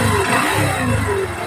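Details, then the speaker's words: Honda CT125 with sidecar, revving with a loud droning, speaker-like whine (sounds turbo-like) that rises and falls with revs; suspected engine bearing noise, unconfirmed; starter dead, weak battery; clutch lining among parts replaced. "Bearing doon ng makina ang maingay. Naugong po na parang speaker mga idol."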